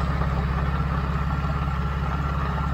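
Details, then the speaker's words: 1993 Mercedes 600SEC V12 with straight pipes, long-sitting, just started: loud rough idle with steady whirring drone; wobbling noisy water pump pulley, to be replaced, engine shut down as way too loud. "noisy yeah absolutely to be replaced that's like terrible we shut the car down because it's way too loud"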